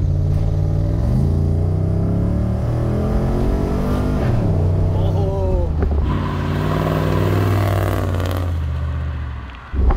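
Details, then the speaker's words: LS V8-swapped Mercedes turbo diesel car that had sat for a year, at idle: deep, lumpy burble settling into a steady rhythm with no skipped beats, through a loud exhaust. It is not missing and does not shake or vibrate; normal idle. "I think that's just how the exhaust sounds at idle it's not missing it it runs really nice it's smooth doesn't shake the car vibrate or anything"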